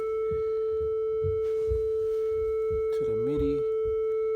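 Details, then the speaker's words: Behringer synth over MIDI in, port A: a steady tone of about 440 Hz holds unchanged while knobs and switches are worked. It is stuck on one note, nothing else plays, and there is no decay or oscillator control; it goes silent only when switched off. "This is all I hear is this sound right here. When I turn this off, I hear nothing."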